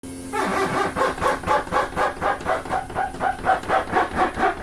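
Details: RV living-room slide-out moving in: rhythmic squawking squeaks about twice a second with jerky, jumping motion, from the dry slide bottom rubbing on the rub bar. Fixed with silicone lubricant.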